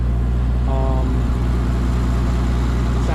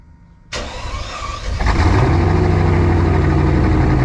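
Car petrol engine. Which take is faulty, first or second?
second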